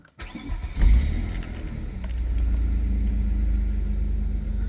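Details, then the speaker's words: Vectra V6 starting right after a 3500-mile oil change with 10W-40 semi-synthetic, oil light waiting for pressure to build and fill filter: quick crank, clean catch, smooth even idle, no knocks or rattles; normal start. "As you start the engine up, it needs to build oil pressure and fill that oil filter up. And when it gains oil pressure, the oil light will go out."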